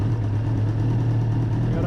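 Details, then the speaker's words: 1994 Suzuki RF900 with replacement engine after the original blew, first start, already warmed up a little: even, steady low rumble at settled idle, no misses, knocks or rattles; idles cleanly and healthy. "I actually got it to start and this thing sounds sweet listen to this it's already warmed up a little bit"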